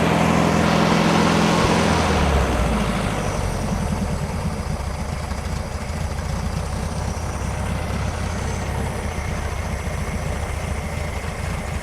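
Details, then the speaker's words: 1971 VW bus air-cooled four-cylinder, back running after sitting 2+ years with new carb and tune-up, warm, off choke: steady low even idle, normal; engine still burning off deposits. "yeah she has a bunch of stuff she needs to burn out of her that's all they off the choke so judge idle sounds good engine sounds happy"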